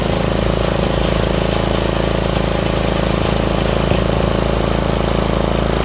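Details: Troy-Bilt 30-inch rear-engine riding mower just reassembled after carburetor work, with broken throttle plastic so the lever won't stay set. The small single-cylinder petrol engine runs steadily at about three beats a second, even and smooth; healthy.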